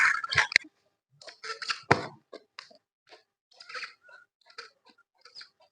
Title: Maruti omni sound problem